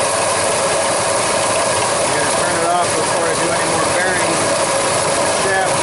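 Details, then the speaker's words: 1999 Ford F-150 5.4L V8 running: harsh continuous gritty grinding with rattly edge; AC compressor clutch pulley bearing failing, clutch wobbling, belt and tensioner wobbling, intermittent AC cooling. "you can see now you can definitely hear the bearing you can see that the clut is wobbling around you see the fully wobbling"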